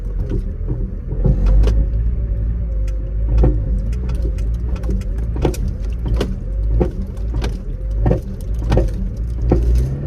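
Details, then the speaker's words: Vauxhall Corsa D, after new exhaust fitted, driving on and off throttle: engine drone with sharp irregular clunks as engine and gearbox rock, apparently catching the exhaust, suspected to be a worn lower gearbox mount. "That's the first of the knocks, but I think that's because the gearbox and engine is rocking, and that's catching the exhaust."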